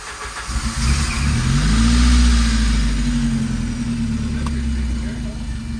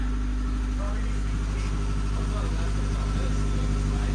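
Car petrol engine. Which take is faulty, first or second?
second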